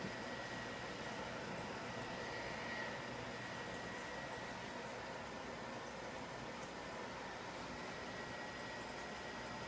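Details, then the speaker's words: IBM PC 5150 booting from floppy with a cleaned disk drive controller card reinstalled, counting memory at a blinking cursor: quiet, steady whir with a faint unchanging thin tone; the fan runs evenly. "It's a heck of a fan,"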